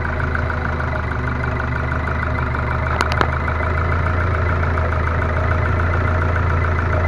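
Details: Ford Focus 2 1.6 100 hp after rebuild (block bored +0.5 mm, new pistons and bearings), idling: light loosely regular tapping about three or four per second, a knock inside the engine, cause unknown.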